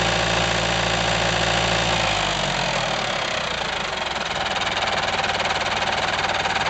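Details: IHC 554 tractor diesel, about 30 hours after engine overhaul, at idle: irregular metallic knocking from the crankshaft area, rattling as revs drop; balancer gear with several missing teeth, not the pump.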